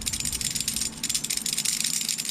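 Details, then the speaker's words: Axial SMT10 RC truck rebuild: old aluminium suspension links with heavy slop let the axle sway on the chassis, giving a rapid, uneven, tinny clatter like a bag of chains dragged down the road; reason they were replaced with new links. "These things sound like that even when the whole truck's together. They're atrocious. They're horrible. There's so much slop and play. The axle sways back and forth on the chassis, and it makes this noise. It sounds like a bag of chains being dragged down the road."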